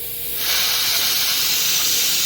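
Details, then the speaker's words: Sandblaster at MakeHaven being shut down: input air turned off, then the valve cracked open gives a sudden steady high hiss as stored compressed air bleeds from the system. Normal pressure release. "so over here we're going to turn off the input air you can hear the pressure go down and you can see it dropping and then we're going to open this a crack"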